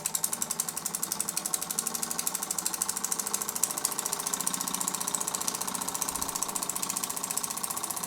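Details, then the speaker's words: Home-built "Super Burnac Vulcan" model live steam engine on first steam test, methylated-spirit burner, regulator valve on exhaust, raised from cold: quick, even chuffs about four a second with a crisp hiss each beat; runs freely and steadily, normal running. "Very shortly after I filmed that clip, there was enough steam for the engine to run, so I'm going to stop talking and let you listen"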